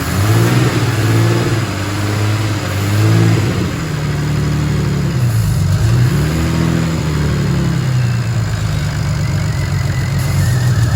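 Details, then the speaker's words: Non-running BMW 335i: it starts but idles with a low, uneven, wandering note, dipping and surging. Owner still judges the engine good. Rough running just after starting. "okay that is now running not the best running i mean not the best but it's running right"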